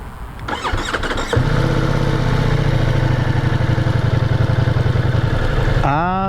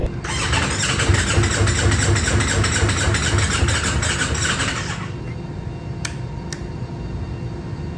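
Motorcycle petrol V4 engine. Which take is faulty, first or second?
second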